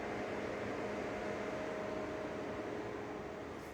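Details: Project track car after spring prep, newly wired custom electric radiator fan with relay: steady even whirr and faint hum, no rubbing or rattle; fan running normally.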